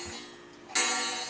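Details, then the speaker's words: 8-day Black Forest cuckoo clock with automatic night shutoff, during servicing and before the gong is adjusted. A single strike gives a terrible thud because the gong wire sits wrong for the hammer. "So, because this has a hole in here, I can adjust the gong by moving it down a little bit because right now it's making a terrible thud."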